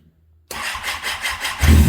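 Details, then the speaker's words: Kawasaki ZX10R after an engine install, battery recharged and old gas emptied from the tank: quiet, then strong even cranking, then a brief low rumble as it catches. It fires but dies from no fuel. "All right, so it just fired, but it has no gas in it. So I'm gonna go get gas."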